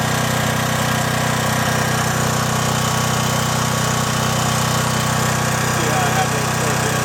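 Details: John Deere/Briggs and Stratton generator, repaired (carburetor cleaned), unloaded while measuring about 114 V output: steady, even drone with a constant low hum and no misses or knocks; runs smoothly.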